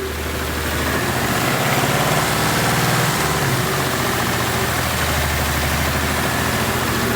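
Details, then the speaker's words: 2019 Ford Mustang GT, about 16,000 miles, three or four oil changes, at idle: light uneven tapping over engine note; abnormal tick new within the last 15,000 miles, cause unknown. "because I've had three or four engine oil changes this is not a normal sound for the last 15,000 miles"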